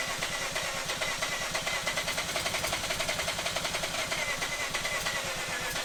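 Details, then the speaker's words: Mazda RX-8 half-bridge-ported Renesis rotary, cranking after swapping the Adaptronic back to the stock ECU to fix no-start: fast steady starter whir with even clatter, turning over but not yet catching on this attempt. "So I put the stock ECU back in it, and we're gonna see if we can fire it up now."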